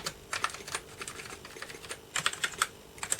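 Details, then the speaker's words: Early Atari ST (not STFM) keyboard test with audible key clicks: crisp, separate clicks in small bunches with no rattle or dead keys; the keyboard works normally, with one key that was sticking. "I like the fact you can hear them. This is a really easy way to test the keyboard."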